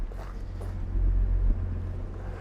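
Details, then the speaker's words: Jaguar XJC (XJ6) with Stromberg 175 carburettors, after adjusting the water chokes and a 5-minute drive, choke off, warm: low steady idle, even hum, no misses or knocks, running nicely. "Choke is turned off now. And that's pretty good idle. It's running very, very nicely."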